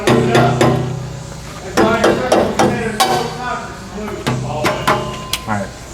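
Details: 2003 Jeep Liberty during inspection, rubber mallet taps on rear exhaust pipe to check catalytic converters; taps ring clean and solid with no buzzing or loose rattle afterward: healthy exhaust tap test.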